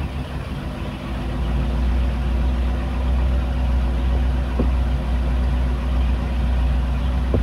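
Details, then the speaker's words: Engine with a newly installed Edelbrock 1410 carburetor after a choke adjustment, started after sitting several days. It catches, swells briefly, then settles into a steady, low V8 rumble without stumbling; normal idle. "now I don't know that started pretty good but see right after the key the ancient cranks see she went to normal working condition"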